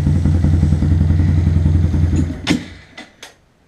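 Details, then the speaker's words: Honda Grom in damp weather: a lumpy single-cylinder idle that hesitates on throttle from idle, stumbles and dies within a second; it runs fine above 2,000 rpm. The cause is moisture through a cracked spark plug boot. "give it some gas and she dies I don't know if you can hear the hesitation and then that's it"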